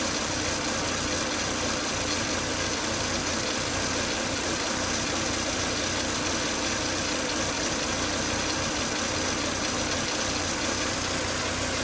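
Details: Volvo S80 2.5T idling after running 10 to 20 minutes: steady thin high-pitched whine and hiss from excessive crankcase vacuum, with the oil cap sucking air hard; fixed by replacing the breather box/filter.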